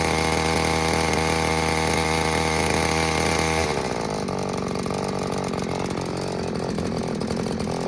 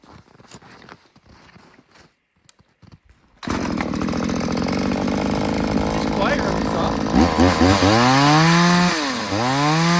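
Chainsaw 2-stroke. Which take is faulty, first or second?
second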